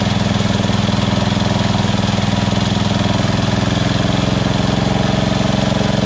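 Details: Small single-cylinder lawn tractor engine after the surging carb was replaced with a Chinese-copy Nikki 590399 on an O-ring manifold with backward 90-degree fuel nozzle: steady, even idle, constant low thump, no hunting or surging.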